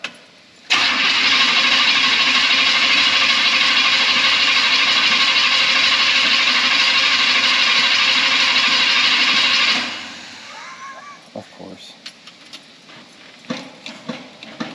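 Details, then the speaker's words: 1972 Chevy C10 Suburban: fast, even cranking for about nine seconds that never catches; engine turns freely but won't start, possibly no spark. "it may not have spark because it it doesn't sound like you're not plugged in"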